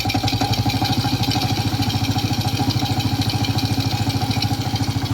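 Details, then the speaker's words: Old Suzuki Smash motorcycle engine at low idle with a very rough, hard rhythmic klok-klok knock that speeds up and slows with RPM and is clear at low RPM; crankshaft bearing knock with loose clutch housing. "Suaranya sangat kasar. Dan kerusakannya kemungkinan cukup parah, bro. Anda dapat mendengar suara "klok-klok-klok-klok-klok" pada RPM rendah."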